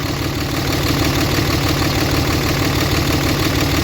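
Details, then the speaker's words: Newly bought diesel truck with ABS and check-engine lights on: uneven, lumpy idle clatter, about three pulses a second landing unevenly; rough idle, owner suspects injectors before scan-tool diagnosis. "I'm definitely here she runs a little rough I'm pretty sure we need injectors definitely sounds like injectors"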